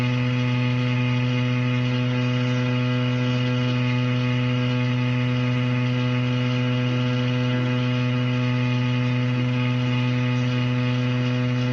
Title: Anyone know why the shower is making that noise???? #help #plumber #plumbing #shower #water #home